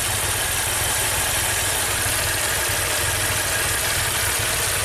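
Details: 2016 Maserati Ghibli Q4 V6 twin turbo at 60k miles, idling with misfire and timing codes: a lumpy, loping idle that shakes hard and smells of raw gas. It seems to run on 3 cylinders.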